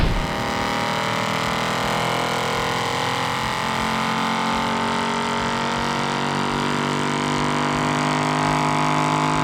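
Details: 1955 Ford Thunderbird with a 5.0 Coyote V8 swap runs smooth and steady, note climbing slowly, no misses, pops or backfires, after an exhaust manifold flange leak causing decel backfire was fixed and a custom tune cleaned up cam timing.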